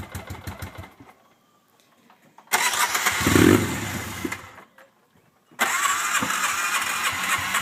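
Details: Hard-starting RZR, in low gear, with smoke coming from the back: the engine catches in rough bursts, sputters down to silence, then fires again; it won't keep running.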